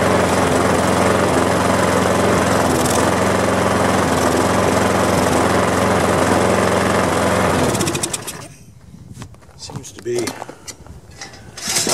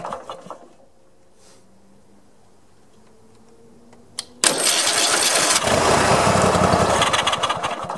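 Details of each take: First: Push mower small single-cylinder engine after resealing and air cleaner cleaning: slow, steady, lazy low idle without speeding up; the tab where the governor spring hooks to the carburetor linkage was bent way back, holding speed low, and was bent back out. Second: Mower after freeing a cap that was jammed against a loosening nut: near-silence, then the engine catches sharply at once and settles into a steady strong run without stumbling; normal start.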